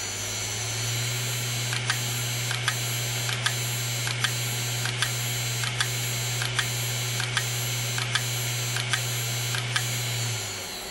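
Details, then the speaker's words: Hard drive with head collided onto platter, leaving a mark around the disk: steady low spin hum with sharp clicks about 77 a minute, then spins itself down from errors; head crash. "there it will spin itself down because there's errors"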